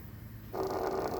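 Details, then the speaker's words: Adubor dog training collar with beep and vibration at a lower level: short even buzz of about two-thirds of a second at a steady pitch, the vibration motor working normally. "Now, here's the beep. You hear the beep and the vibration? That's 99."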